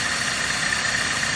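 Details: 2009 Dodge Caliber at idle after the rattle repair: smooth, even running with a faint steady high tone and no rattle or knock. The rattle noise is gone.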